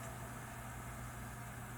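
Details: Carbon-fibre inline skate with FR base and worn grippy wheels, bearing spinning: steady, even low whir with no ticks or rasp; smooth, free-spinning normal bearing.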